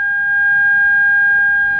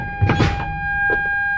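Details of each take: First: Air-brake truck during a CDL air brake leak-down test: a steady, piercing buzzer holds one unbroken pitch as reservoir pressure drops too low, sounding the low air pressure warning. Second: Air-brake truck during a CDL leak down test, brakes pumped down to about 60 psi: a soft clunk, then a steady high-pitched low air pressure warning buzzer with the dash light on, working as it should.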